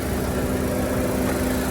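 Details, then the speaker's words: Non-running auction car just started with a jump box, engine given gas: a steady mid-pitched squeak over a rough idle each time it is revved; cause not identified. "the gas you hear how squeaking and all"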